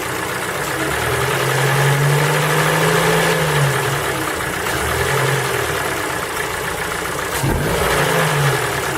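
Cold engine revving up and settling, with a faint, fairly regular tapping knock riding over the engine note as revs change.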